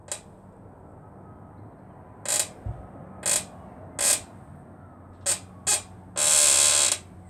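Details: Rear shock being pumped in a garage, before lubricating with GT85: six sharp high-pitched squeaks, one per compression; squeak traced to the rear shock's lower end.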